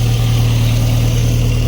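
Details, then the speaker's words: 1988 Jeep Comanche, Renix 2.5L I4, AX-4 4-speed, after fouled spark plug replaced: lumpy uneven idle with steady low drone and rhythmic stumble; one cylinder's low compression dragging it down. "That sounds just as shitty as it did before. All right. It was just a spark plug. Maybe. Ah, maybe not. Doesn't sound great."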